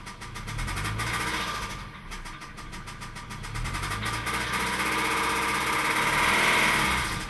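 Rapid, uneven ticking rides on top of the engine as it starts and idles; a knock from inside the motor, cause undetermined.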